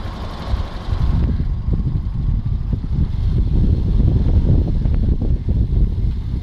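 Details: VW Jetta 1.4 TSI (BMY, 103 kW) petrol engine idling with a fast, uneven metallic clatter over a low rumble: loose timing chain.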